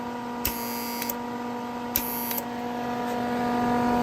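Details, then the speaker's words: Lincoln Electric Weld Pak 100 converted from flux core to MIG, gas solenoid reused from an old welder, powered on with the trigger pulled: sharp clicks as the valve opens and shuts over a steady electrical hum; the solenoid works, though loud. "You can probably hear that, it's kind of a loud solenoid. What that means, indeed, the solenoid is working."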